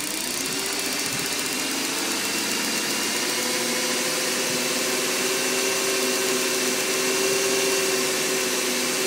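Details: BMW E39 540i V8 idling just after cold start: light steady tick over the engine note, disappearing after a few minutes.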